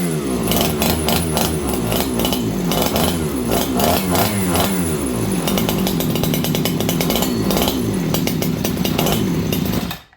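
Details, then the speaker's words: Farmertec 288XP kit chainsaw with aftermarket carb and new spark plug, after ignition repair, started around 5°C after possible flooding: saw burbles and blubbers unevenly, firing irregularly before dying; super rich running, owner suspects flooding or unhappy plug. "Yeah, this thing's super rich now. Let's see what we can do with this, friends."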